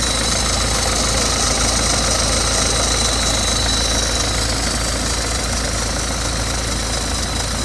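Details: 2012 BMW 320d F30 diesel idling just after a cold start, with a thin metallic plate-like rattle over the diesel clatter; the owner does not know the cause.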